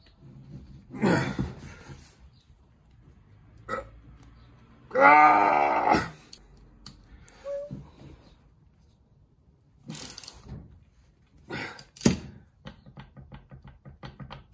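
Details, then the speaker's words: Teraflex Alpine IR track bar, axle-side joint, worked by hand with the clamp torqued tight: irregular dull metallic clunks and metal-on-metal grinding from a worn, loose joint, causing clinking while driving; second such failure in 1.5 years. "does it so even after torquing that heller down still doing that the joint itself is really loose and i can actually fill grinding metal metal on metal in there"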